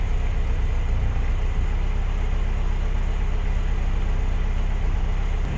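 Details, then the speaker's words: Renault 17 TS, first start after Weber 32 DARA 4T carburettor rebuild, automatic choke on, no air filter fitted (air noise): steady, even fast-idle rumble with no stumbles, now firing on all four cylinders; normal fast idle. "Voilà, là il y a le starter automatique. Donc pour l'instant ça va très bien. Déjà elle a retrouvé ses quatre cylindres."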